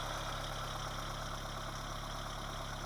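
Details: 1980 Honda Civic being got running again, fitted with a new ignition coil: a quiet, even idle with a steady low hum and no misses or knocks; the engine sounds healthy, a normal idle.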